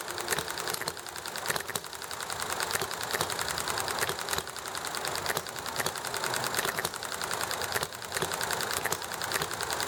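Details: Enjomor small hit-and-miss engine running nicely: light, rapid ticking in bursts that coast and pick up again, firing cycle repeating evenly, over chatting and highway traffic noise; normal hit-and-miss running.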